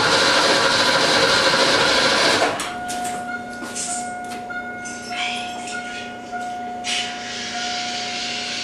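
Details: Ford Fox-body Mustang, not run in 20 years, starter spinning the engine in an even beat of about three and a half turns a second without firing; the distributor cap and rotor were bad and later replaced.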